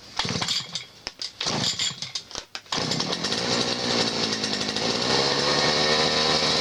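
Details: Chinese petrol grass trimmer that stalled and wouldn't restart (weak spark, faulty start/stop switch contact), after switch repair and new spark plug: a few choppy pulls, then steady even high-rev two-stroke buzz; running properly.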